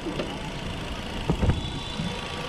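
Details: 2014 Chevrolet Spin LTZ manual petrol engine idling with a steady, low, even rumble and a couple of faint bumps; engine dry with no leaks, though an AC bearing noise is noted.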